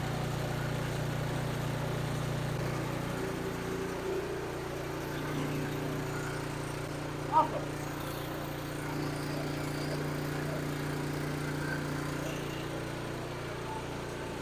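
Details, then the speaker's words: New Husqvarna ST227 snowblower, first cold start on ethanol-free fuel, primed five times, choked: low steady small-engine drone with one brief early settling change, then an even run; healthy. "all right let see if this thing will start I shut the salamander off so we can hear it Keys installed I'll Prime three times well being new let's do four five that high feel is on choked see how she"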